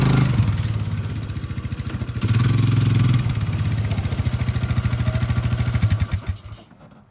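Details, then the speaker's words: Polaris Ranger 500 4x4 after top-end rebuild and new carburetor needle valve, first drive around the yard without coolant: steady even engine thumping, then winds down and stops; healthy running with no misses. "Alright y'all, very successful first drive there. I literally just drove around the yard one time, let it idle for a second, and then parked it."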